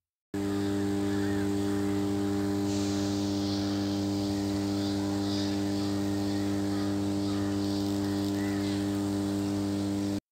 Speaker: Today we will see what is power transformer humming? And why does power transformer hum? But first of all let’s listen to the humming sound.